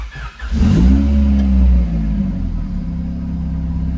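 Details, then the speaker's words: 1992 Honda Civic converted to rear-engine RWD, started after switching on the battery cutoff and hearing the fuel pump prime; starter barely turns before it fires right up, a brief rev flare, then a steady, even idle: healthy start. "like that, fires right up."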